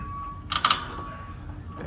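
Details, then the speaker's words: Newly installed remanufactured steering gear: short squeaky creaks and popping as the wheel is turned left and right; wear marks found on the gears inside the gear box. "that nasty creaking noise watch this keep going there buddy watch this right here it's the in whatever yeah that's a bunch of wear marks"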